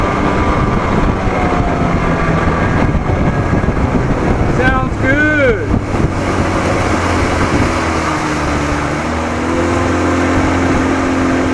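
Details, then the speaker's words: 1987 Johnson 40hp outboard under way after Joe Reeves WOT timing adjustment: steady, even drone with no stumbles or knocks over wind and water; runs healthy, though idle was slightly rough. "it still feels good man still feels good sounds good runs good"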